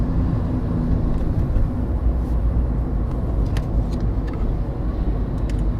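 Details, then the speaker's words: VW Polo Sedan that knocks over bumps, driving on smooth new asphalt: only a steady low tire and road rumble with no knocks. The suspension and steering rack are quiet here, and the owner expects the rack to rattle on rough roads. "пока мы не испытываем никаких вообще проблем потому что асфальт ровный"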